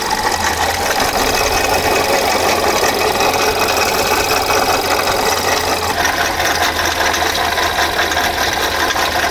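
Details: Volkswagen Polo engine running steadily at idle with a faint irregular rattling tick over the hum; an abnormal engine noise is present but its source is unclear.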